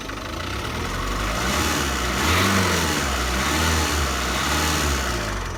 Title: Ford rattling sound #1